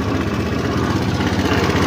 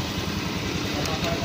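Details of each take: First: Honda Beat FI scooter, 2692 km on the odometer, excessive engine noise at idle; rough, gritty grinding churns steadily inside the engine. It persists with the side cover and pulley removed, so the fault is internal: a worn, loose camshaft bearing in the head. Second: Honda Beat FI scooter, 26,000 km, after repair of a noisy, grinding engine by replacing the camshaft assembly with its worn bearing. A quiet, even idle with steady low pulsing and no grinding or top-end rattle. Normal, healthy idle.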